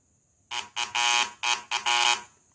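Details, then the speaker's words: VW Beetle (Fusca) with rough, oscillating idle, distributor cap tested with a homemade continuity buzzer, water inside not touching pins: five strong, full buzzer bursts without crackle; good distributor cap terminal continuity. "E ele dá um som bem cheio, tá? Só que a água, ela não tá pegando nos pinos, ela tá só na parte de baixo."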